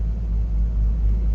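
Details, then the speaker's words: Blower motor on a 1986 Toyota MR2 AW11 (4A-GE, 5-speed manual) running with a steady, even low hum, no rattle or squeal; normal blower motor operation. "the blower motor works you can hear"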